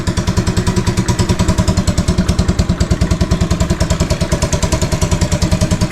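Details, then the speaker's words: 2015 Yamaha Crypton 115cc kick-start motorcycle, cold start (exhaust cold), idling to warm up 2–3 minutes before riding: even, quick single-cylinder putter about three beats a second, steady and regular; normal healthy cold idle. "เยี่ยมจริงๆและผมจะปล่อยให้เครื่องอุ่นเครื่องประมาณ2หรือ3นาทีก่อนขี่เสมอ"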